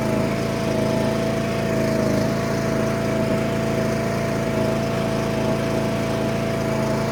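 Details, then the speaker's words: John Deere D100 ride-on mower, small single-cylinder engine at fast idle on first start after an oil change with fresh oil, parked with bricks as chocks; occasional irregular pops ("pop, pop"), cause undetermined, owner hopes it isn't piston slap. "Was just making a popping sound I do not like."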